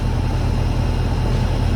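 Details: Hayward heat pump pool heater whose fan would not start, running after repair; ambient 75°F, discharge about 59°F, set to 84°F with pool at 75°F: steady, even low hum with no knocks, rattles or surging; normal running.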